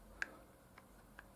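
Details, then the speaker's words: Worn small end eyes on a pair of connecting rods where the three-quarter inch (0.750 in) gudgeon pin runs straight in the rod, with no bush. Three faint, sharp metallic clicks as the pin rattles about in the worn eye; fix is fitting new bushes and reaming or honing them to size. "can hear it rattling about and that's sort of a three-quarter inch seven fifty thousand pin"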